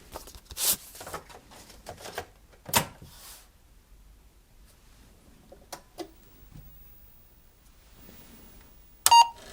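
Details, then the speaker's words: Apple IIc (owned since 1985) after a motherboard replacement: quiet room with sparse clicks and thunks of the floppy drive head stepping, ending in a short beep; a normal boot, an earlier disk failure blamed on a dirty drive head. "believe it or not that actually sounds good that's what it's supposed to do and here we go it's just a dirty Drive head"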